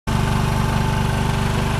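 Small single thumps along at a fast, even idle beat with a hard knock riding on every stroke, pointing to a spun crank main bearing.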